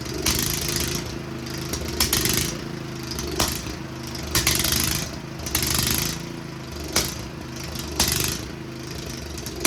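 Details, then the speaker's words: Yamaha Big Bear 350 ATV after sitting with ethanol fuel, running on 20:1 premix: small engine runs ragged with smoke and sharp pops every second or two; rough running with backfiring, cause unknown. "all right so it does run it uh runs really crappy but it runs so the smoke is because I'm running 20 to1 fuel mix in it that's all I had around the house um I didn't have any straight gas so that explains the smoke but the backfiring and everything I don't know what's up with that"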